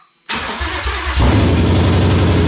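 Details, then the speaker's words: 1984 Fox-body Mustang with swapped Gen II Coyote V8 and 6R80 transmission from a 2017 Mustang GT, started via start button; brief cranking, then it catches into a firm, even rumble without stumbling — normal engine start. "Hey, man. It's alive. Alive, yes."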